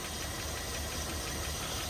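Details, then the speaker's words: Rolls-Royce V8 idling, a bit lumpy: quick, light ticking often mistaken for a bottom-end knock or valvetrain tap actually comes from the self-levelling suspension pump in the engine V, always slightly noisy but holding pressure well. "But actually, buried in the V underneath all of this gubbins is the pump for the suspension system. And that has always been a little bit noisy."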